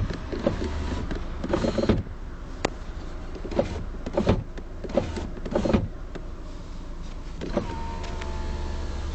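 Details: Electric window motor whirs down, then a hard knock as the glass reaches the bottom and stops, as if hitting something; only this window does it, others stop quietly; door card removed, nothing found restricting it behind the plate.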